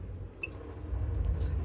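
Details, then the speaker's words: 2018 AutoTrail Tracker motorhome fresh water pump switched on with tank filled and boiler drain in the down position: low steady hum builds and holds for a few seconds until reaching pressure, then pump turns itself off as designed; normal pump operation. "So once you turn that pump on, it will run for a few seconds until it gets to its correct pressure, and then it should, in theory, turn itself off, which it has done."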